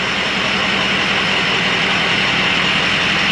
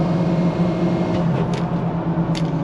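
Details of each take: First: Diesel truck started right after a new tune, long crank then stumbling uneven idle with hollow beat, no power even at full throttle; suspected bad HPOP, not enough high-pressure oil to inject properly; rough idle from low injection control pressure. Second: Diesel truck with stock exhaust whose HPOP had been killed by a badly fitted oil cooler screen: a steady, even drone pulling cleanly at part throttle with no stumble or knock. Running normally; still needs injectors.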